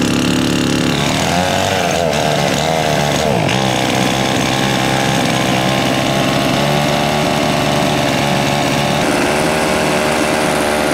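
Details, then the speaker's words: $15 used Husqvarna chainsaw after fresh fuel, new gapped spark plug and cleaned air filter, cold start with choke out: buzzy two-stroke hunts and wavers instead of holding steady; runs but carburetor needs tuning. "Alright, it needs a little tuning but that worked!"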